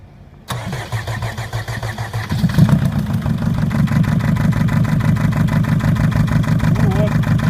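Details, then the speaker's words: Mercedes Sprinter 904 with the OM611 four-cylinder diesel and an injector knock, cylinder 1 cut out: it settles into a slightly lumpy three-cylinder idle with the knock gone. The cylinder 1 injector needs replacing. "тук пропал форсунка первого цилиндра под замену двигатель работает на трёх цилиндрах но без Тука"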